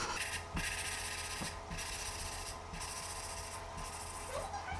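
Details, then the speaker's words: Hand-lapping a valve in a 317 LS cylinder head with suction-cup tool: gritty back-and-forth rasp about two strokes a second going soft and quiet as compound breaks down; lift valve and recharge compound. "because it's like sandpaper it's breaking down so when it's done and it's quiet you lift it up you do it again"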